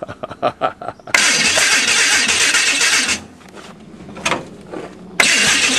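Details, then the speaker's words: Hudson rat rod gasoline engine, timing not yet set: starter churns in uneven bursts with long whooshing cranks, no firing; no start, weak small red spark, plugs, points and rotor may need replacing. "well you know it's real weak fire yeah and those plugs points and rotors wouldn't hurt a thing in the world it's real weak when i looked at that spark plug it's just a tiny little red fire it needs to be hot blue a hot blue flame"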